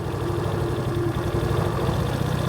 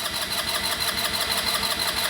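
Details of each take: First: Genuine Buddy 125/150 scooter after carburetor clean and battery replacement, warmed up and off choke, idle speed adjusted: steady, even single-cylinder beat settling into a smooth warm idle; runs slightly lean with capped mixer screw, normal idle. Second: Genuine Buddy 125 scooter with new battery, ignition on, brake pulled: starter spins engine at an even, quick rhythm but it never fires; carburetor needs cleaning, as no start after a minute of cranking indicates a clogged carburetor.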